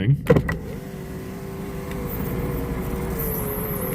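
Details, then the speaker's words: Daimler power window, testing suspected battery drain: steady electric motor hum as window goes down and up at good speed, no strain; battery voltage holds steady, motor healthy. "so, that came down and up with good speed, but the battery is staying where it is."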